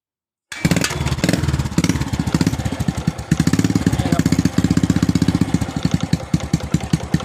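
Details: Stock-engine Honda Wave 125 motorcycle with weak battery: quick, even single-cylinder putter at idle, steady rhythm, no knocks or misses; engine sounds healthy.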